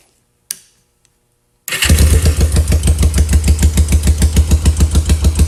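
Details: Kawasaki 454 LTD bobber first start after top-end rebuild, harness mocked up: brief cranking catches at once into an even idle, steady exhaust pulses about three per second, no knocks; healthy start.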